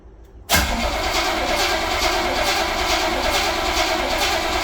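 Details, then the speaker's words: 1966 Chevrolet Corvette Stingray carbureted, cold start in January at about 11-18°F after months parked: long dry crank with no firing, fuel drained from gravity-fed carburetor, needs accelerator pumping before it catches. "this is a carburated vehicle which means that the fuel cell or fuel tank is in the rear and if you just crank it there's no gas in the carbonator so you have to press the accelerator pedal all the way down to the floor"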